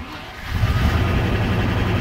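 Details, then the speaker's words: Late-1993/Jan-1994 Range Rover Classic Vogue V8, after reattaching earth strap and removing steering column controls: fires after brief crank, settles into steady deep idle; earth fault thought to be the cause. "so I think that was in the end I think that was that earth problem"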